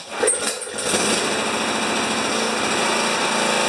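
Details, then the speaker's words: Honda HS720 single-stage snow thrower running the last of its gas: small single-cylinder engine sputtering and surging unevenly, rough running; water suspected but ruled out, cause still unknown. "I think hopefully you got to see it when it was running rough I uh I thought it might be water but it isn't"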